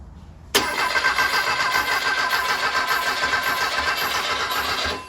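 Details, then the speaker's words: Barn-find Porsche 356/912 air-cooled flat-four, first start in 25+ years, fed by an electric fuel pump with no fan fitted: brief crank, clean catch, steady even idle with no smoke. Runs healthy. "oh my go it runs doesn't even smoke even idles"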